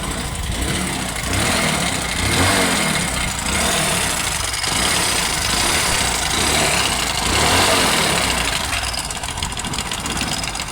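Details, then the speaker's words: Hero Passion Pro motorcycle idling and revving: loud rough clattering from the worn timing chain inside the engine, not the main bearing. "पहले यह आवाज है timing चैन की जो हमारी timing चैन इसके अंदर लगती है उसकी आवाज है"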